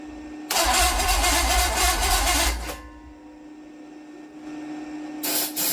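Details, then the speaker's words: Mystery small-block Chevy 350 after reinstalling distributor, plug wires, coil and starter: starter churns for two seconds, sounds close to catching, then silence and another try; cranks but won't fire. "it so sounds like it's going to start and then nothing"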